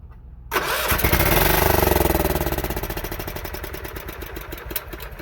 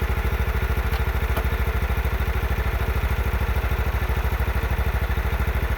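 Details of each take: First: A John Deere 16 HP single-cylinder mower with 140 psi compression cranks hard in quick, even pulses without catching while fuel flow is checked. Water was found on the pre-filter and carb cleaner was sprayed into the loose carburetor. The owner suspects a faulty decompression mechanism. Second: John Deere 16 HP mower (140 psi compression) after the carburetor was refitted, air filter off: steady even putter around 200 beats a minute with no misses or surging; running normally.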